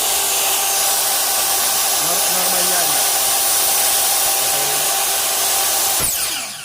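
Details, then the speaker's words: Newly repaired Makita LS1040 miter saw with new armature, stator, motor housing, carbon brushes, brush holder cap and switch: smooth even high whir, no rattle or crackle, then quick brake stop; normal motor run, only normal brake spark. "So, ang ganda ng tunog, tsaka matining. So, yun po yung normal na spark niya."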